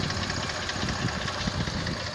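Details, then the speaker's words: Mercedes-Benz CLS 350 at idle, heard close to the engine: irregular dull knocking from the lower engine. Suspected piston knock; diagnosis only by disassembly, possible engine replacement. Engine knock. "отсюда лучше слышно. Судя по всему, слышит поршень."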